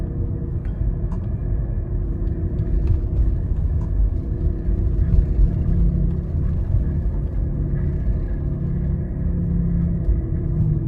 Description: This failed wheel bearing is very loud.